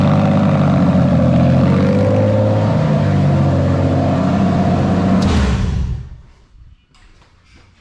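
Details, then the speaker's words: Toyota/Lexus JZ engine idling steadily, then the MAF housing is shifted a couple of millimetres down the intake pipe; the note sags and fades near six seconds as rpm drops from unmetered air. "so as you can see i've literally got to move it a couple of millimeters down the pipe like that you can see that the rpm is dropping and the whole engine node is changing"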